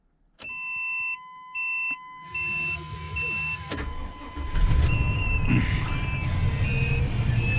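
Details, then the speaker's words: Fleetwood Southwind 29 ft Storm RV, 454 V8, 32,000 miles, recently jump-started, smog passed: dash chimes, short crank, V8 catches on the first turn and settles into a steady even rumble with no stumble; normal start. "Fires up on the first turn, as always."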